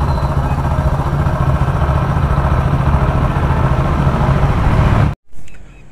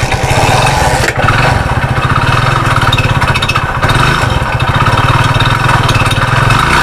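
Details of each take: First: Hero Splendor Plus single-cylinder after engine repair for crank noise: steady, even idle with no knock or rattle, then it shuts off; the engine sounds fine. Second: Hero Splendor single-cylinder, before repair, that made a noise, stopped and had to be pushed: heavy, uneven low knock, dipping as it nearly stalls and keeps cutting out; mechanic suspects the crank and will open the engine.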